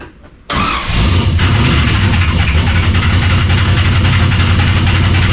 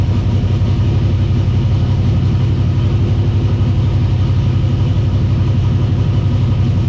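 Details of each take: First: Cold engine fires, then a rough clattering slap rides over the idle about three to four times a second; a lower accessory belt found very loose, sounds better after tightening. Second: V8 idling just after a very loose belt that was causing racket was tightened, warming up with the temperature gauge not reading: steady, even low rumble with no knocks, squeals or chatter; a smooth, healthy idle.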